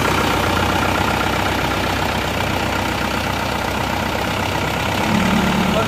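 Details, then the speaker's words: Isuzu Panther diesel started after repair (previously damaged following a workshop job, not malpractice): catches and runs with an even, steady clatter, no misses, knocks or hunting; no longer smoking, engine safe. "Wes aman nih, wes ora berembul ada ini. Oke, mesinnya sudah hidup."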